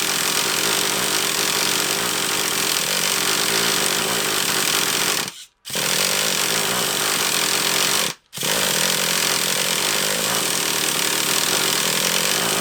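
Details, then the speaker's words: Traxxas Revo 3.3 nitro RC car engine, leak around the low-speed needle: loud raspy howl cuts out twice and picks back up, running erratic and off-tune; a carb clean-out is suggested. "I wonder Joe I wonder if it might benefit from a bit of a carb clean-out it might benefit from a bit of a cup thing at Oregon because it seems a bit earache to me that only seems like to you love but to me it seems a bit erratic and off a turn"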